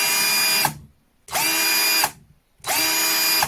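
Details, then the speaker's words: New Einhell TC-CD 18/35 Li cordless drill: three full-speed bursts of high whine winding down cleanly, zero clicking on release at max rpm, unlike the owner's other drill; gearbox sounds healthy. "Nope, zero clicking. So maybe this has a bit simpler gears inside of it, and there isn't a chance that it slips a tooth or something like the other one makes the sound"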